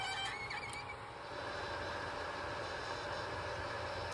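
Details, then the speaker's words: Ender 5 Plus 3D printer with MicroSwiss Bowden dual gear extruder runs with a steady even hiss and hum after manufacturer's suggested fix; earlier extruder screeching gone. "as you can hear the screeching's gone microswiss suggestion worked"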